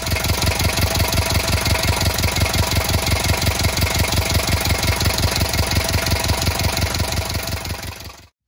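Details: Sailboat diesel first started after a fuel filter change and bleeding air from the system: steady, even diesel clatter at idle with regular firing pulses and no misses or stumbles. Normal diesel idle.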